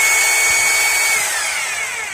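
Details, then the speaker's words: Maktec MT870 rotary hammer, fault: won't hammer-drill, running in plain drill mode: smooth steady high-pitched motor whir, no hammering knocks; normal rotary drilling mode, concrete mode sounded the same before repair. "nah ini suaranya halus buat ngbor biasa"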